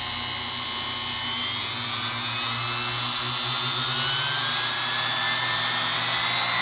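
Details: Singer PA-style sewing machine motor from a model 600, after deliberately oiling inside and cleaning with Krud Kutter degreaser: smooth high-pitched whir climbing steadily to full speed, no rattle or grinding; motor runs cleanly.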